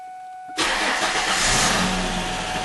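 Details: 2002 Mustang after repair of a crank-no-start: steady electric hum of the fuel pump buzzing, then the engine catches quickly and settles into an even, loud run.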